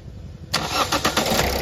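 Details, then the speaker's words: Diesel Toyota Etios that had been misfueled with petrol; after draining, a new diesel filter assembly and reworked injector nozzles with back-leakage checked, a brief crank catches within a fraction of a second and settles into an even idle; normal quick start. "দেখতেই পাচ্ছেন এখন গাড়ি perfect."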